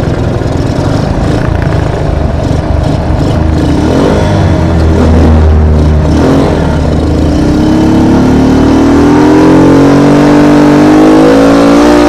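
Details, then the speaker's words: CT 100 motorcycle single-cylinder previously cutting out and misfiring: holds an even beat, then revs smoothly with no cutting out or misfire; problem solved. "Anong ano na ay ayos na solve na solve na problema solve na problema"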